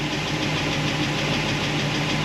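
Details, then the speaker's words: V8 with solid roller lifters on a hydraulic roller cam idles with quick, even metallic ticking over a steady rumble; valve train noise traced to the number 7 cylinder area after lifter swap. "All right, I tracked down the valve train noise. I was lying to myself. I wanted the lifters to fix the problem, and they did for the most part, but I still had this noise in this area, number 7 cylinder."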